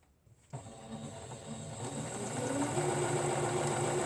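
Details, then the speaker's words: Sewing machine after cleaning, run on material without thread: starts and settles into a steady, even patter of about four beats a second, no knocking or grinding, sounding very different than before, running smoothly. "let's take a piece of material and we're gonna try it without the uh thread wow that sounds so different let's do that again"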